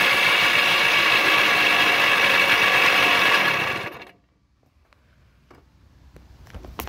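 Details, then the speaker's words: Suzuki DS-80 two-stroke motorcycle kicked over and run on choke: harsh raspy growl, then dies away; worn crankshaft main bearings. "that my friends is the sound of bad crank bearings and that right there is not a good thing at all"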